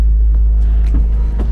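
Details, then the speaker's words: Camper van climbing uphill on rural road the day after breaking down: deep pulsing throb under heavy low rumble, like a rumble strip, as the cooling fan kicks on; fan rattling. "so this is the noise yeah so it really sounds like we're it feels like even that we're running over a rumble strip right now"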